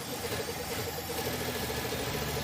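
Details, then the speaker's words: 1966 Pontiac Tempest with overhead-cam six that sat about 30 years, just after a rebuild: an uneven, slightly lumpy idle with a steady hum; the vacuum advance diaphragm is adding too much timing, and taking it away improves the running. "All right. So, I was looking down there and I could see the vacuum advance diaphragm putting timing into it. Basically, take that away."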